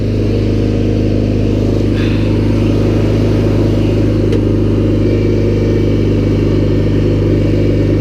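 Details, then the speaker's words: Cub Cadet 1811 lawn tractor just after an oil change, with a suspect battery and charging fault: low single-cylinder idle with a loping uneven beat, trying to stall, won't stay running at low speed. "Sounds like it's trying to die on me. It really doesn't want to stay down low."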